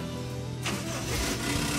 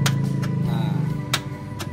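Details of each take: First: Toyota Kijang Kapsul petrol after starter motor repair: short crank then engine catches straight away and settles into a steady run; starter now working properly, normal engine start. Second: Toyota Kijang Kapsul petrol, in neutral with the dash lit, recorded from inside the car: sharp single clicks at an uneven pace, about seven in four seconds, with no cranking; the starter motor won't turn and its wiring is to be checked.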